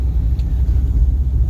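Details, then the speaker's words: 1952 Chevrolet Bel Air with Powerglide automatic, on-road drive over a badly broken road: low, even engine and road rumble with no knocks, clunks or rattles beyond a slight steering-wheel vibration; engine, transmission and brakes work well, car sounds sound. "Voilà, je le disais, donc la transmission fonctionne impeccable, le freinage aussi."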